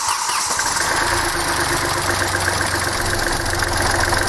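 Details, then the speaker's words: Hyundai i20 1.1 CRDI diesel after repair of a seized, knocking engine, restarted after bleeding air from the fuel system, injectors still adapting: steady diesel idle with even clatter and no knocking; running smoothly, normal idle. "teraz wsiadam sobie do środka chwilkę sobie pochodził pozostał temperaturę wtryski Już się prawie zaadoptowały jeszcze nie do końca ale to też dzisiaj pojazd już sobie ładnie pracuje"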